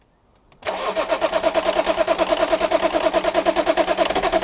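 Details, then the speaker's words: BMW E34 long sitting, fuel pump heard priming, fuel likely from around 2008: even cranking about three pulses a second with a light click on top, engine never fires; owners suspect a relay click, possibly bad old fuel. "That noise. It might just be a relay click actually. Could be. There's something clicking, it could be like, say, a relay."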